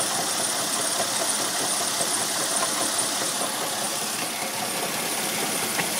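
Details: 1999 Mercedes ML320 engine running: steady run with a hissy, rough whirring over it and no clear knock; the water pump has play, a worn water pump bearing, replaced.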